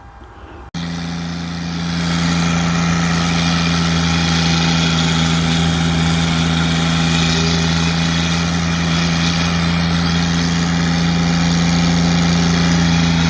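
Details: Kubota GR2110 diesel mower with a newly installed, clocked turbo and a modified wastegate actuator arm: steady diesel beat with a faint high whistle rising over it as the turbo spools. Turbo working normally.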